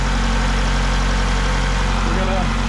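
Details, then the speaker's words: 2000 Ford Contour 2.0 with a rough idle under load from a vacuum leak, after new intake gaskets and a replaced cracked PCV line: low, steady, even idle with no hiss or sucking sound. "main thing is we want it to be not hissy so I think our vacuum leak we finally figured out"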